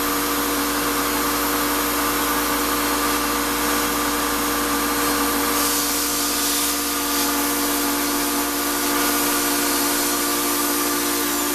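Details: Shop-Vac vacuuming coarse grit from a rock tumbler: steady high whine with rough, gritty edge at one pitch; owner says dust previously pulled through the motor before adding a dust separator pretty much destroyed it, with very little suction. Worn vacuum motor whine.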